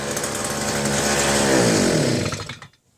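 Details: Southland 2-stroke post hole digger auger, fuel fed directly into cylinder, cylinder wall possibly scored: buzzes up briefly then sags and dies within seconds; runs on primed fuel only, carburetor not delivering fuel.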